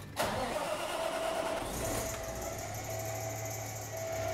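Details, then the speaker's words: Cummins Westport ISX12 G natural gas truck engine started from the cab: quick crank, catches at once and settles into a quiet steady idle with no misses; normal start and idle. "now that we're in the truck I'll go ahead and start the engine"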